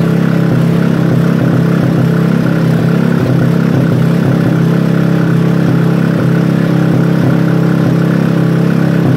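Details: Robin engine during restoration, first start: smooth, steady idle with an even beat and no knocks or misses; small engine running healthy.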